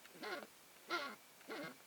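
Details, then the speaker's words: Canon 50mm f/1.8 lens on Sony A7S, focusing manually: three short squeaky chirps, each rising and falling in pitch, as the focus ring turns; the focus ring rubs and squeaks. "lens makes this type of sound okay here that really strange I hate that sound"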